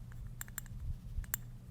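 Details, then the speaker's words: Keihin butterfly carburetor during a rebuild, accelerator pump check-valve cap shaken after cleaning: a few sharp clicks as the check ball rattles freely. The valve is not stuck, so the accelerator pump can work. "you can hear the check ball hear that so if that's not happening back in the carb cleaner back in the ultrasonic cleaner till you can hear it rattle"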